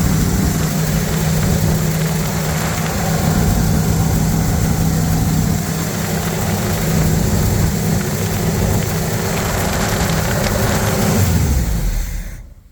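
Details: Chevy 350 V8 in a Wide Gauge Bombardier after a tune-up and an oil and filter change, with long-unchanged black oil drained: deep, even rumble holding steady with no misses, knocks or ticks before shutoff; a clean, smooth-running idle.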